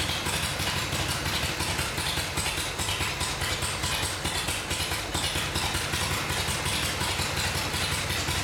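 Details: Vintage Harley Shovelhead V-twin on the stand after full engine and transmission rebuild: even loping idle, steady beat, no knocks or misses; sounds good, running cleanly, normal idle.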